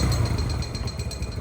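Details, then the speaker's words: Recently bought second-hand motorcycle revved with the throttle: irregular rattle and faint metallic ticks over the exhaust note, a new abnormal noise that was not there earlier; cause unclear. "Oh, ano yun? May tumutunog. Puta, si Ryan. Si Ryan. Ano yung tumutunog? Utang ina naman talaga to, oh. Kanina okay, ba't may tumutunog?"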